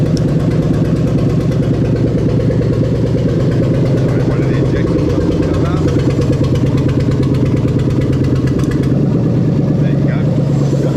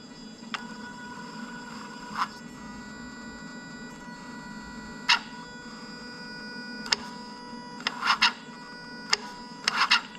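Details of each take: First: Lexus LS430 3UZ-FE VVT-i V8 on test with newly rebuilt right-hand-drive automatic engine harness: very loud, open V8 rumble settling to steady even idle with no knocks or misses; healthy start, though random misfire codes were later cleared. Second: Lexus LS430 (2000–2003) 3UZ-FE VVT-i on a new right-hand-drive engine harness with 5-speed automatic: engine hums at idle, then pushing the pedal past its range makes the drive-by-wire throttle click and shut down; a pedal stopper is needed.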